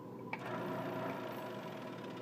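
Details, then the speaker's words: Scroll saw test-run after fitting and tightening the blade in the lower and upper holders for an inside mortise cut, blade clear of the wood; quiet steady hum with even reciprocating chatter, no clacking; blade secure, running normally. "Alright, you can hear that there's no clacketing, so we can start to make our cut."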